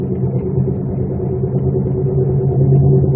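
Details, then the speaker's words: 1999 Chevrolet Malibu at about 35 mph, brakes just replaced: a heavy low droning rumble that swells slightly at steady speed; badly worn wheel bearings needing immediate repair. "this needs fixed immediately foreign thing is I just put brakes on it but she didn't say anything about it making this noise"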